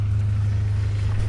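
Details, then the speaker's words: Honda Prelude with the muffler deleted, running with the DC headers: deep, booming, droning straight-pipe exhaust with nothing muffling it. It is far too loud and needs a new muffler. "this is the horrendous muffler delete ah i gotta get it we got to get a new muffler um it's too loud"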